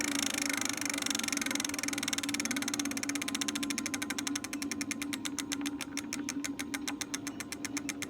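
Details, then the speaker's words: Lectric XP 4.0 folding eBike lifted off ground, rear hub motor keeps humming with fast clicking pulses long after light throttle release, linked to E08 error after replugging; controller/throttle fault suspected; hub motor keeps running after throttle release. "Still getting power, shouldn't be. And now it's not even stopping, that's crazy."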